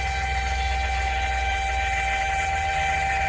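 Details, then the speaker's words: Trim tab pump on a Regal 33XO boat runs with a steady, even electric hum and constant whine, no surging or grinding, moving fluid; tabs go up and down, though indicators flash, suggesting a sensor fault in the new head; normal pump operation. "The pump's working, moving fluid."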